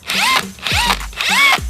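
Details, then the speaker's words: Matco cordless impact wrench removing 18 mm engine front-bracket bolts: three short high-pitched bursts whining up then dropping off with rough crackle, gun smoking and reeking; the motor is burnt up. "It's no good. The motor is burnt up."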